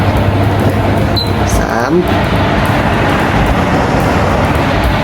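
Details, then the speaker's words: Hatari AC Classic1 evaporative air cooler after repairing noisy, heavily vibrating blower fan and motor, at speeds 1–2 with swing on: steady even air rush over a low hum, no rattle or scraping; running normally. "สวิงแล้วนะครับทำงานปกตินะครับไม่มีเสียงดังนะครับ"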